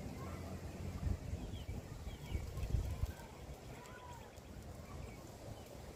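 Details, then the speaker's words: 2006 Honda Accord after flux-core MIG welding of a rusty, badly leaking exhaust: low, steady exhaust burble at idle with no puffing or ticking from a leak; the exhaust sounds sealed. "That should have it fixed though."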